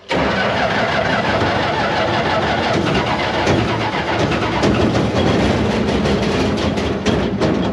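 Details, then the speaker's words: Barn-find Massey Ferguson 300 combine, six-cylinder, in neutral with choke and a little throttle, fuel pump running: steady fast cranking churns on a long stretch before catching; slow to start, then idles. "okay we're going to let it sit here and idle that was very very anticlimactic"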